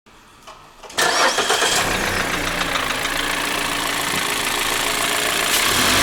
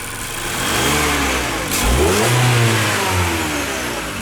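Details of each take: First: 2015 Mazda 6 SkyActiv, 85,000 km: engine fires and revs up and down with a hard metallic tapping that quickens with revs; connecting rod knock, fixed by replacing the connecting rods. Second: 2015 Mazda 6 SkyActiv, 85,000 km, first start after the knock was cured by replacing the connecting rods; clean smooth revs with no tapping or knocking, the pin knock is gone, normal running.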